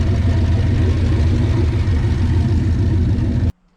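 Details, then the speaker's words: 1969 Plymouth Valiant, turbo 360 Magnum V8 on new cylinder heads, running after a test drive: loud, steady, evenly firing note, no stumble or knock, cuts off cleanly; normal smoke from burning off oil, no leaks; normal running. "Normal smoke burning oil off and stuff. Nothing on the ground. Runs great. I think we're good."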